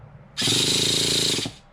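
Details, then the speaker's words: 12-year-old Traxxas Jato 3.3 nitro RC car with a new fuel tank and after-run oil inside, cranked for the first time in ages: a one-second high buzzing whir spins up and stops evenly, turning over freely and easily. "so it does crank cranks over nice and easy"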